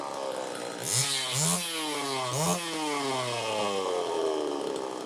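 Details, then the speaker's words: Super EZ chainsaw, cold start after clogged carburetor cleaned, final tune: blips up cleanly three times and winds down smoothly to steady idle, no stumbling; slightly lean at first, started easily and runs well. "a whole lot of idle time but anyway that sounds good it started easily"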